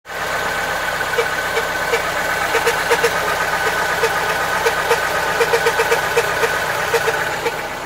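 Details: Lada Niva (VAZ) petrol engine idling with uneven knocks and scraping grind, caused by a dry, binding distributor shaft; fixed by lubricating the distributor.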